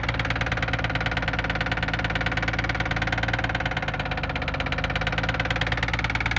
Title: rb26 engine knock